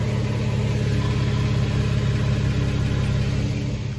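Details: Nissan Xterra idling in cab after replacing a broken exhaust heat shield clamp with a plumbing clamp: even, smooth low idle rumble, no buzz or metallic rattle; heat shield no longer rattling.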